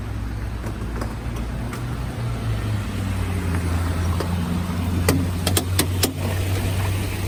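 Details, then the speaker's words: Lifted Jeep JK reversing in four-wheel drive with window down: rolling hum, then sharp irregular clicks from the front driveshaft CV joint, damaged on a trail with a broken boot; silent in two-wheel drive, worse in turns. "so here it is the the cv joint is a problem"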